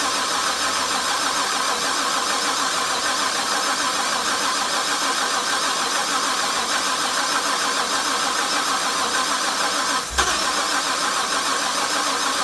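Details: Supercharged (Harrop-blown) LS1 engine: the starter spins it with a steady fast whirr but it never fires. Crank sensor was replaced, then it backfired and stalled; fuel was replaced; 60 psi rail pressure while cranking; no check-engine light. Crank, no start.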